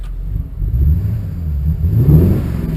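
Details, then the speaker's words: 1951 Ford COE truck engine, running on natural gas: deep, even low rumble with steady pulses and no misses or knocks; owner says it sometimes hesitates when cold but runs well overall. "so now it's when it's cold it kind of kind of hesitates sometimes but all in all it's pretty good see it's running on natural gas now that the green lights on"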